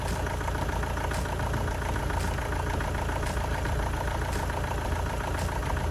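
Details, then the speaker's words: Astra van diesel after engine change, first start after fuel system reconnection: steady diesel idle with even clatter and no knocks, slight unevenness, possibly a minor misfire at low revs; injectors may be swapped later; runs sweet. "well that seems quite successful took a little bit of time to get the diesel to come through again that's to be expected after everything's been disconnected sounds like it runs quite sweet"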